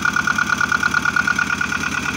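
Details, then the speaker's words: Engine after generator replacement ticks over at a steady, even pulse; no belt flapping or squeal, so belt tension is good; runs healthy. "Yeah, when you start the engine, you need to check that the belt isn't flapping around. That means you have a good tension."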